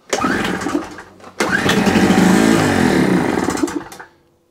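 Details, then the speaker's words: Small two-stroke generator that cranked without starting, fuel tap on, given a spray into the intake: engine catches, runs ragged for a couple of seconds, then fades out; fuel not getting through, carburettor fault, carb cleaning planned. "So it definitely is a carburetor he's doing."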